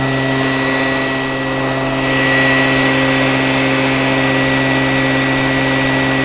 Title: QUALCAST ELECTRIC MOTOR(AFTER REBUILD)